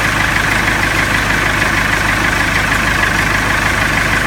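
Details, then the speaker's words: Salsco 12-inch chipper, 4-cylinder Perkins diesel, just started holding oil pressure override while oil pressure climbs; steady even idle around 790 rpm with no knocks or misses; normal idle. "Hit the start button. The engine's running. Watching my oil pressure gauge."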